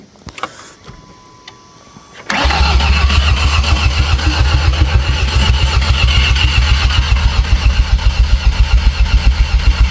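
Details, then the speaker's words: Ford Ranger with a junkyard 2.3L engine said to have 80,000 miles, which had sat in flood water, cranking after install: a strong, steady starter chug of nearly four pulses a second. Cranking is healthy, but the oil pressure gauge has not yet responded. "sounds good cranking, don't it? So good. [Music] Nice and stout."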